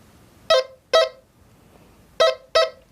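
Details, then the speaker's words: XP metal detector with iron threshold at full, demonstrating the iron volume control; two pairs of short, sharp mid-pitched beeps as a piece of iron passes the coil, a clear iron-target response. "I'll turn the iron threshold on full. I've got a piece of iron here,"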